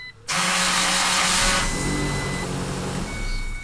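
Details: Ford Ranger cranking: harsh, rasping drag as the starter turns over, the starter motor dragging and making noise; starter removed to find the cause.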